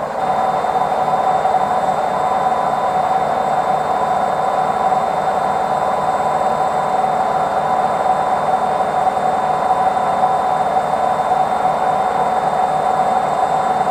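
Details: Washing machine on its spin cycle: steady, piercing screech over a fast, churning rumble. Worn drum bearings suspected.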